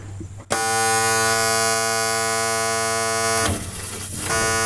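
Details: M35A2 deuce-and-a-half truck no-start: loud steady buzzer at switch-on, briefly dipping; corroded battery terminal arcing and smoking at the post, terminals to be replaced.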